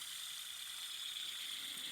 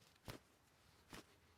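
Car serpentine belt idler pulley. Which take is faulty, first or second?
first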